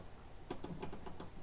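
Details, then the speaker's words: Classic Mercedes R107 380 SL automatic transmission shift rod: sharp metallic clacks as the loose rod knocks against its mount, heard from under the car; rear plastic shift bushing behind the flex disc is missing, causing the rattle. "no bushing there so that's where your rattle comes from when you're going down you're wonder what's rattling under my car"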